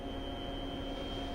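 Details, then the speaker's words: Bridgeport CNC milling machine homing after power-up: smooth motor hum with steady high whine as spindle travels to Z-axis up; normal axis motion. "the Machine goes through a homing operation in homing the spendo goes all the way up this is referred to as the z-axis up"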